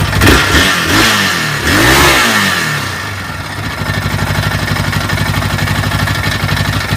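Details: Yamaha Raptor YFM 660R engine: after a couple of throttle blips it settles to idle with a steady knock, about four per second, riding on the thump; internal knock, source unclear.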